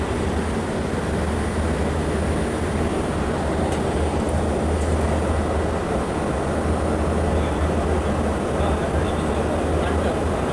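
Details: Armstrong VFD-driven pump motor run in hand mode at 100% speed (50 Hz): steady low hum with rough, gritty rumble throughout; abnormal motor noise, bearing replacement discussed, possible worn bearing, unconfirmed.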